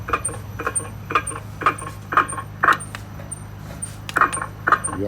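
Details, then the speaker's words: Lexus on a shaker stand: sharp regular knocks about twice a second over a steady low hum, clearly heard under load, from a worn ball joint on the rear lower aluminium transverse control arm; front checked fine. "Вот явный слух шаровой опоры заднего нижнего поперечнего рычага. Алюминиевый рычаг, шаровая опора."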